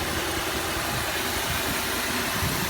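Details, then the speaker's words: 2005 Cadillac DeVille V8 with check engine light, shaking and earlier exhaust backfiring, idling: lumpy uneven idle with irregular thumps under a loud hiss; misfiring badly. "it is not firing correctly here look what my hands are walking on that's not a normal Idol it is misfiring badly"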